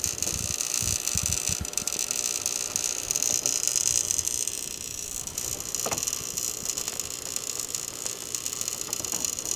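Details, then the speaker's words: Breaker with burned wire, recorded with shotgun mic, wire reaching about 400 degrees: irregular sizzling crackle with sharp snaps over constant hiss; arcing, possibly internal to the breaker or at a loose terminal connection, screw tightness to be checked. "i got my shotgun mic so hopefully you guys can hear this but the breaker is making an internal arcing sound i think it's internal but it could be on the actual connection but just listen to this"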